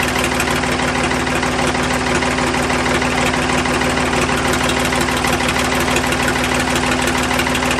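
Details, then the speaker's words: Ford 555 backhoe 3-cylinder diesel idling after valve lash adjustment, exhaust off so raw exhaust is blowing; even clatter at about three beats a second with no stray valve train ticking, healthy after the fix. "all right i don't know about you but that sounded pretty good to me"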